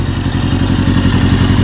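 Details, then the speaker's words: 1982 Honda Goldwing four-cylinder rebuilt from barn-find parts onto a parts-bike frame; idles lumpy and uneven as if not firing on every cylinder; owner suspects water in the fuel tank. "One It's not running amazing right now, but it's running. Wow. Well, what's up with that? I don't know."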